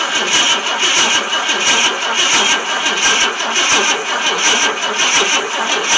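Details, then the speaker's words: 1966 Ford Thunderbird, FE 390 not started in 13 years, new Street Demon carburetor, primed with two-stroke gas: long steady cranking that never fires; spark at the points comes and goes. "check that spark again because it sounds like it's not getting sparked we all spark now i see it it comes and goes"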